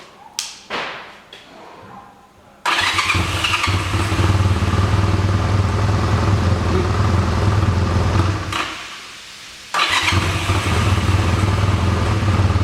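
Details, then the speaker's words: 1985 Honda Rebel, 2,000 miles, sat 17 years, restarted on reserve fuel after blowing through the carburetor: a few cranking thumps, then catches into a steady low idle, dips briefly and recovers; running fine while warming up. "Okay, we'll let her run for a while to warm up and then we'll see what we can do about the adjustment of the curve. Sounds great, huh?"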